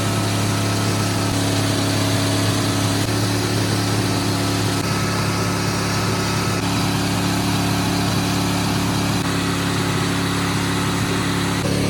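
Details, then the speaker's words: 1979 Ford truck V8 at full throttle on seven cylinders with one spark plug wire severed. A loud, steady roar carries an uneven, hollow pulse from the missing cylinder. "okay we're gonna put the batteries back and try to start again see if it'll run on seven cylinders"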